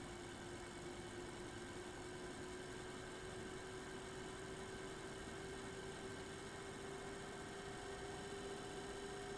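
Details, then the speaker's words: Eight-year-old MSI Radeon HD 7970 Twin Frozr III graphics card under load: one fan dead and uncontrollable, the other failing with irregular, slowly drifting hum, alongside thin high-pitched coil whine; fans to be replaced. "so we're loaded you should be able to hear the irregular fan spinning separate from the coil"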